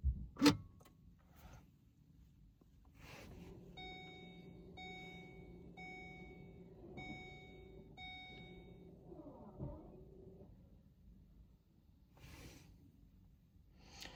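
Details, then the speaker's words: 2020 Vauxhall/Opel Corsa, electric handbrake stuck in pad-replacement service mode after a brake pad change (C1544 code in ABS ECU), right rear caliper cycled via diagnostic tool: quiet, steady motor whir in short pulses for several seconds, then stops; caliper motor operating normally. "So if we now try it on the right hand caliper. You can now hear it's operating the right hand side one."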